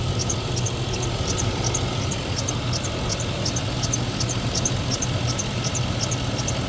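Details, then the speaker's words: 2003 Chevrolet Tahoe after new water pump install, warming up to temperature at idle: fast regular high chirps over the rumble; owner unsure whether the brand new water pump or the belt is squeaking; unconfirmed. "Are you gonna tell me a brand new water pump's making that noise, or is it just my belt?"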